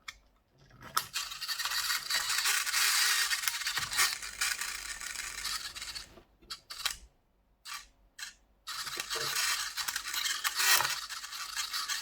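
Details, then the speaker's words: Vintage 1984 Tamiya Mitsubishi Pajero RC kit under restoration, powered on after reassembly with a partly charged battery: irregular high scratchy buzzing bursts that start and stop as the servo twitches erratically without holding position. "Seems to be twitching around all over the place."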